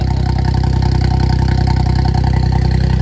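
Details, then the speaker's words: Suzuki Cappuccino 660 cc three-cylinder turbo, first start after N2 kit install (Suzuki Sport N2 ECU, RHB31 turbo, new injectors): loud, even idle, regular pulse about four beats a second through open exhaust, firing cleanly on all three cylinders; normal idle. "to be running everything's good no oil is exploding anywhere [Applause] sounds like all three cylinders are firing like they should be"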